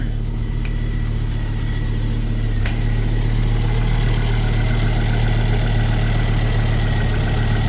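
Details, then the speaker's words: Ford Focus ST225 after oil filter housing replacement (failed breather seal): steady low idle with faint clicks from air pump clicking in, no leaks; normal idle. "can't see any leaks out of there so that all looks like that's all good that's just the airon pump clicking in and"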